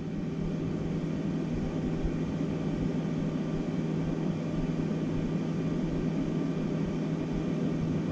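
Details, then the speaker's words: Flashforge Dreamer (NX) 3D printer after replacing both stock 80x80x15 mm 24 VDC rear fans with quieter ones: even airy whoosh, soft steady hum, no rattle or bearing whine; about 66 dB versus 82 dB before, baseline 44 dB. "about 66 db versus 82 so it's quite a bit quieter and i like it"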